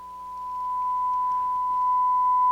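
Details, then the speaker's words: Denon AVR-1705 receiver after repair for going into protect, tuner not yet installed, 1 kHz tone fed into the CD input: clean, steady tone through both channels without crackle, hum or cutout; amplifier working. "And it's working both channels, I think."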